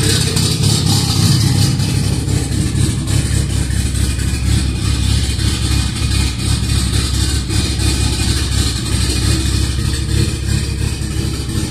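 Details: Cammed B18B1 Honda EG, first start on E85, started by jumping the starter wire, stock MAP sensor: deep, loping four-cylinder idle with an uneven big-cam burble, steady without stalling; healthy first start.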